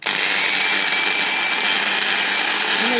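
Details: Bosch delta sander powered on: loud, harsh high-pitched whirring roar, steady; motor gets very hot in seconds though brushes contact and commutator not hot; fault not yet found; motor noise under power.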